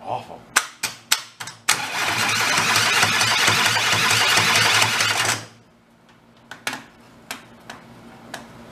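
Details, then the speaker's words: Two Kohler Command 20 hp engines (thrown rods, flood-damaged) rebuilt and bolted together: sharp clicks, rough loud grinding crank about four seconds stopping dead, then clicks; harsh cranking noise. "secret idle and what it does that clunking that we're hearing is to play between"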